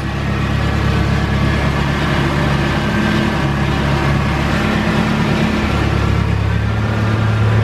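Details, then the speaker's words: 1993 Nissan 240SX S13, rebuilt KA24DE about 130k miles, after a drift event: steady engine drone with faint thin whine rising with rpm; source unknown. "of a weird whining noise so you'll see that it'll actually pick up has rpms pick up"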